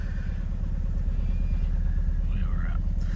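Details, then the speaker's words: Suzuki Swift idling with a cylinder 4 misfire, after its ignition coil was swapped to cylinder 3: a low, uneven lope about two beats a second; the misfire follows the coil, so the coil is faulty. "Misfire is still there."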